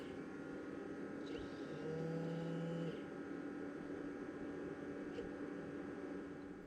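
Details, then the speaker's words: Original Xbox console with its 80 mm fan, before replacement with a 60 mm fan on rubber lugs: steady droning hum with a faint rattle, loud fan noise. "now not only will these rubber looks keep the fan in place they'll also help suppress any vibrations from the fan itself and the result well this is what it sounded like before"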